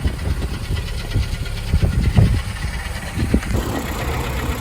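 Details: 2008 Honda Civic Si K20 six-speed at idle: uneven sharp clacks about every second; oil drained showed no shavings, owner suspects head or valve noise rather than block, cause not confirmed.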